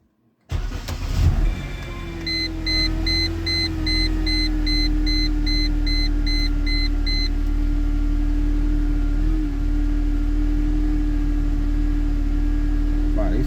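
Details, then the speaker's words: 2004 Mercedes C230 W203 1.8 supercharged at cold start: steady idle with a loud constant mid-pitched whine; owner suspects the supercharger, as the car is quiet with the serpentine belt off; tension and idler pulleys ordered, cause unconfirmed. "cars are very loud. The loudest thing on here when you first start it up seems to be the supercharger because if I disconnect the belt, the serpentine belt that runs everything, and I start this car, it's a very quiet car."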